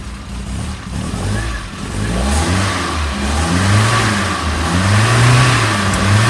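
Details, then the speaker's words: Vintage Alfa Romeo after head overhaul, injection replaced by two reconditioned, balanced carburetors, ignition timing set: engine revs cleanly and evenly, steady firing with no misses, spits or flat spots; normal revving, carbs well balanced. "I've balanced the carburetors up, and now the engine runs absolutely sweetly."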